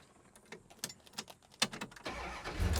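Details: 1971 Plymouth GTX 440 V8 (odometer 252, true miles unknown): key rattles and a few clicks, then it catches within a second and settles into a steady rumble; normal start, good oil pressure.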